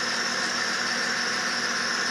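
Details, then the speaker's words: Acura TL 3.5 V6 idling during a cylinder 5 misfire diagnosis, after a part was moved from cylinder 5 to 4: a steady high-pitched squeal from a noisy accessory belt over a quiet idle. "Sorry for the noisy belt. Not much I can do about it."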